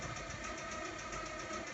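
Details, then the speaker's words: Mazda 626 GC petrol engine, hot, idling with a steady hard knock about six times a second, diesel-like: rod knock on cylinder 1, a spun bearing shell that starts hammering when warm. "на вот именно так стучусь конкретно сколько идет с 1 цели на"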